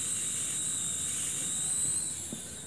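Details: Samsung TV that has picture but no sound; a steady high-pitched hiss over a quiet room while the set is on, growing louder over time, from a leaking capacitor near the flyback.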